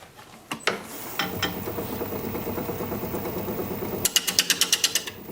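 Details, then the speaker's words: Wood lathe turning a sycamore piece: under the cutting scrape, a quick regular ticking several times a second with the spinning work. The spindle has been noisy over recent pieces, cause unknown. "you can hear my spindle making noise again i've been doing that the last couple of pieces [Applause] drives me nuts"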